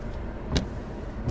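Two sharp scraping thumps about three quarters of a second apart over a low car rumble; a broken wiper is slapping the glass on each sweep.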